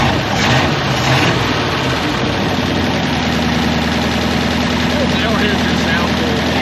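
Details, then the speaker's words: 1961 Buick LeSabre estate wagon, 364 Nailhead V8 first run in about three decades, had bad compression, carburetor float not sticking: deep steady V8 burble at idle with no stumbling or misses; normal idle. "That float wasn't sticking. That sounds pretty legit."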